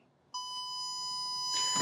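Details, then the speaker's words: Power Probe ECT3000 transmitter plugged into a simulated shorted circuit; steady high-pitched continuous tone indicating a short on that circuit, distinct from its open-circuit tone. "The transmitter that tone is indicating you do have a short on that system."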